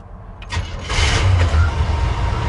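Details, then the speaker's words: 1972 Chevy C20 with new FiTech EFI and HEI ignition, fairly cold start at about 80 degrees: short crank, immediate catch, settling into a deep steady rumble with idle slightly high; clean quick start. "this one fires right up it's got an hei which is really simple i can see the idols just a touch high maybe it's coming down"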